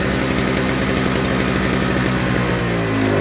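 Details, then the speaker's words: Toro 38602 Snow Commander snow blower single-cylinder engine after a new primer bulb, pull-started, unadjusted carburetor, no load; quick, even putter picking up slightly without bogging; normal running, carburetor seems clean. "so we know that that engine runs just fine the carburetor seems clean because it runs no problem without bogging down"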